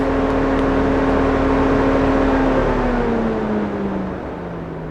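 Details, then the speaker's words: 2004 Mercedes C230 Kompressor (W203), fan switched on then off via scan tool test: smooth steady whir sinking in pitch as it coasts down; fan working normally. "And now we know the fan is working."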